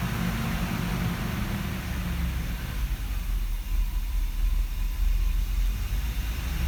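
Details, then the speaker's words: 1989 Mercedes W126 560SEL V8, cold, in gear, after fitting a cleaned idle speed control valve: the idle surges and sags every second or two because the valve is still stuck with its internal spring gone; idle stabilizes near 85°C. "okay here we go with the uh first start with the changed valve oops you can see how this bounces still that thing is stuck"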